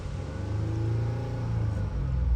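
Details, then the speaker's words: 2014 Ford Taurus, first run after refitting the OEM ignition coils, battery helped by a jump pack, coolant lines not yet burped. Revved, it climbs smoothly with a steady low drone, no knocks or chain rattle; runs fine. "So, it seems to be running fine though. Let's rev it up."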